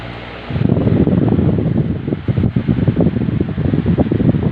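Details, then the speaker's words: Stand fan after its motor bearing was replaced: runs smoothly with a steady whoosh of air and no grinding or rattle. Before the repair it would not spin and only made noise. "Yeah, it's moving also fine. So just I have changed this bearing."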